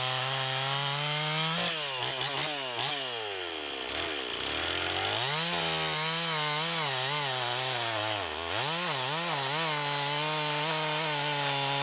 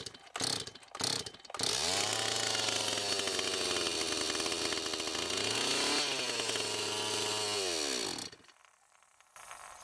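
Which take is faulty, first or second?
second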